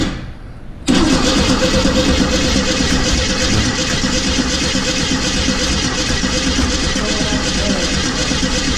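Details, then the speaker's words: 1950 Chevrolet engine cranking, with cracked fuel lines found earlier: long steady cranking churn about three turns a second, never fires; crank no start, points suspected open. "sounds like points are open to car"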